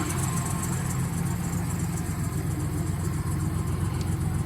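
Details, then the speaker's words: Older truck engine just after fitting new injectors; a cylinder had flooded with fuel and a vacuum leak was spotted: uneven, loping idle with a stumbling beat and heavy smoke. Oil is burning off; the rings are possibly damaged. "There was so much fuel in that cylinder, it's probably got oil just dumping in there. So we got to get, it's got to burn off a lot of that, yeah, that's just oil burning off."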